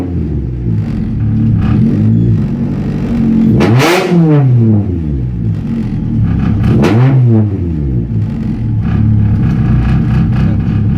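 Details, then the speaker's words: Honda Civic fitted with a DIY push-button start: a raspy, droning exhaust note that rises and falls with two sharp revs, rough and buzzy over the engine. The exhaust sounds poor, and it was bought this way. "Yeah, exhaust sounds like shit. Bought it this way. It'll get better."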